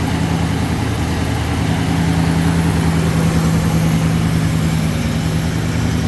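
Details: Rebuilt 1966 AMC Marlin 327 V8 warming up after cold start: low, even idle with a smooth steady rumble and no knocks, misses or hunting.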